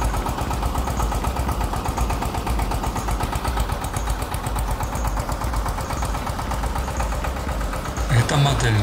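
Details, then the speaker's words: Rossel XT-152D/XT-184D small tractor diesel with belt drive, just started: steady diesel clatter at even idle under music; engine runs smoothly and confidently. "как вы слышите двигатель работает ровно и уверенно"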